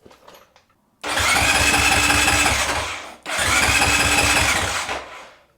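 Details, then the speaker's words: Honda CRF450RL cranks in two bursts of about two seconds each, a steady whirring churn that never catches. The newly installed fuel pump still won't prime, so no fuel reaches the engine and it won't start. "same thing all right we got a new fuel pump all this stuff oh there's a filter package I was like man there's no filter with it but I got that no fuel pump Prime same old story"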